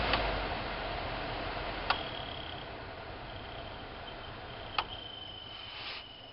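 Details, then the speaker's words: 2000–2007 Ford Focus blower motor on low setting 1: steady fan rush with intermittent high squeal and occasional ticks, gone on setting 4. Owner suspects dry bushings needing oil. Suspected squeaking blower motor. "Really gets obnoxious on 1. So anyway, I'm going to try to fix this without spending $50 on a new fan motor. Personally, I think it's the bearings in it that need lube."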